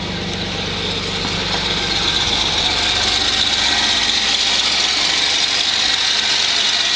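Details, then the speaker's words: Cold start at about 16 degrees of a 13-year-old 1996 Chevy S10 with a 4.3 V6 Vortec, new exhaust and old spark plugs: a steady high-pitched squeal over an even idle; the owner thinks it needs a new belt. "like i'm gonna need a new belt it's a 4.3 v6 chevy vortec"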